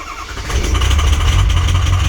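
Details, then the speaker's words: Diesel started at 6 a.m. in 12-degree weather after 2 hours on the block heater (oil 56, coolant 60 degrees); deep, uneven chugging as it catches and stumbles, sounding horrible. Rough cold start. "Yeah, sounds horrible. There she goes. So she does fire. You just don't like it at all."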